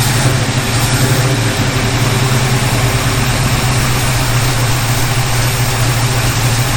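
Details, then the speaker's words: 1951 Henry J street rod V8 idling after swapping in another distributor cap and coil: rough, burbly but steady idle without the sharp pops; most backfiring gone, pointing to an ignition problem. "Alright, that seems to have stopped most of the backfiring, so it probably is an ignition problem."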